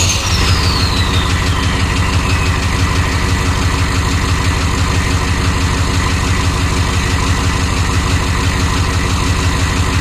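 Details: 1993 Chevy dually 6.5L turbo diesel 4x4, smoky startup without block heater, idling: clatter with an even knock about three times a second over the low rumble; engine knock of unknown cause.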